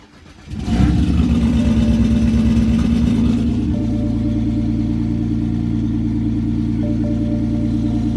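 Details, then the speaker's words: 2006 BMW 330i (E90, N52) inline-six starts with a brief high idle, then settles into an uneven lumpy idle throwing misfire codes despite new coils, plugs and solenoids; the owner suspects the injectors or fuel pump. "but this is how it sounds when i start it and it's giving me misfire reads even though i know it's not a misfire"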